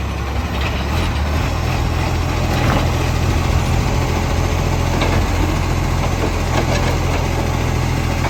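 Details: Garbage truck diesel idling loud and low with a rough puffing, ticking edge from a massive exhaust leak.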